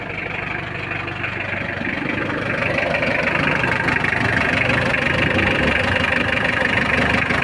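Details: Mitsubishi L300 diesel, started after glow-plug preheating following clutch, clutch cable, clutch master and tie rod end replacement: steady, even clatter at idle, slightly louder after start, no knocks or belt squeal; normal diesel idle.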